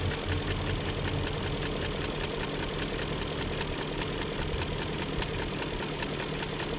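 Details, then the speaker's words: 2001 BMW E38 740i after new timing chain, tensioner and guides: steady idle with light fast top-end tick two or three per second, no codes; owner suspects VANOS unit, cause not found. "i don't know i guess it's just going to have a tick unless the vanoss unit's gone out"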